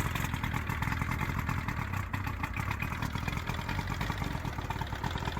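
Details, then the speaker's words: Johnson 70hp three-cylinder two-stroke outboard, unknown history, after carb cleaning, new plugs and fuel lines, run on water: clean start, steady smooth idle burble with water splashing, telltale pumping water; normal idle. "Okay, so it's pumping water nicely out the telltale. Got ourselves a runner."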